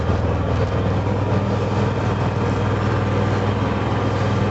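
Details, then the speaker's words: Honda EU6500 inverter generator after carb cleaning and draining gas left over a year: very quiet, smooth, even hum with no misses or knocks; normal running after repair. "just listen how quiet that is like you can barely hear it it's quieter than my ultrasonic cleaner"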